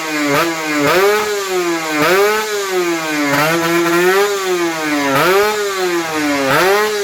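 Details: Kawasaki Ninja RR 150 two-stroke after service: before, it pulled weakly, stuttered, the KIPS stuck at some rpm and the throttle hung. The carb throttle slide was sanded smooth. Now repeated blips, about once a second, climb and fall cleanly with no bog.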